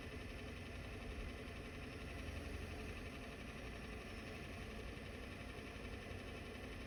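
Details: Diesel truck just fitted with a ZF5 manual transmission and new clutch, idling at a stop sign: constant coarse rattle beneath the engine. Gear rollover noise.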